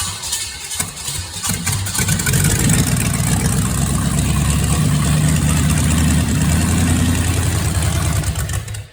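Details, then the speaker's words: Chevy small block 350 V8 after sitting about 2 years, plug wires corrected to right order: catches and settles into loud, rough-edged but continuous low-rumble idle, oil reaching rockers; runs, though owner unsure the engine is good. "I mean, I still don't know if this engine's all that good, but it runs. Well, it runs pretty dang loud. I don't know if it runs good or not, but it runs, and that's something."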